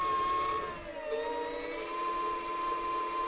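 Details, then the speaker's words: Front hub motor of a DIY dual 350 W hub-motor electric scooter (dual displays, dual batteries) spinning freely at 35.9 V: smooth, even high whine holding steady pitch, no grinding or clicks; healthy hub motor. "now you can hear it it wants to go the voltage is at 35.9 right"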